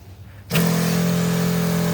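The pump kicks in and holds a steady, even hum with no surging or rattle; the sprayer pump is running normally.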